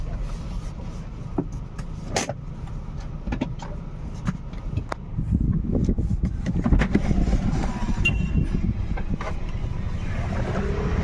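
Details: Volkswagen Polo/Vento after repair for a cylinder 1 misfire (P0301) with EPC light at 60–70 km/h; broken vacuum pipe replaced and cylinder 1 plug cord addressed. Smooth, steady drone under road rumble as speed builds, no jerks, firing on all cylinders.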